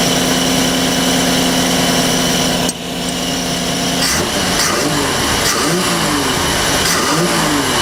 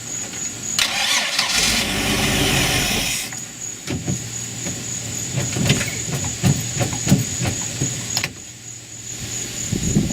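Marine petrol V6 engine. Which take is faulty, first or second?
second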